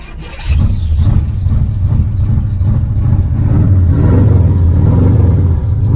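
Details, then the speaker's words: 1981 Camaro Z28 V8 with new Flashark dual exhaust: fires and revs with deep steady rumble plus rough scraping undertone; owner says the noise was something hitting the starter, stopped afterward. "Oh, that noise stopped the starter [Applause] That is dying. That noise stopped that was hitting the little starter thing there."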